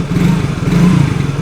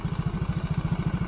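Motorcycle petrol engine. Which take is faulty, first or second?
second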